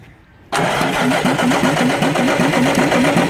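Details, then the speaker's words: Rebuilt Mack E7 diesel truck engine, first start after reassembly, a little cold and primed; catches at once and settles into an even, steady clatter with no knock or miss, running quiet: normal idle. "all right choling nice and smooth engine rolling quiet this is how we do it"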